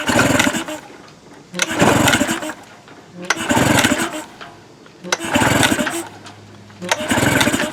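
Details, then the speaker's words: Tracker/Mercury 9.9 HP outboard, unused for a year, pull-start cranking after starting fluid sprayed into carburetor throat: brief pops, never runs on its own; spark and compression confirmed, fault is fuel/carburetion. "I feel like it's starting to pop a little bit right there foreign all right so you can see it wanting to fire there so that confirms that we've got compression and we've got spark and our issue is carburation our issue is fuel"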